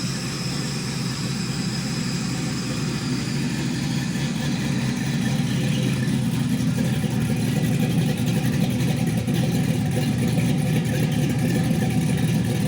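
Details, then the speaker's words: 5.3L GM V8 after NSRx Stage 3 no-springs-required cam swap with 600-lift valve springs; great oil pressure: steady choppy idle with even lope, no knocks or ticks; healthy big-cam idle. "Thing has great oil pressure, motor sounds good. So I think this one's ready to go."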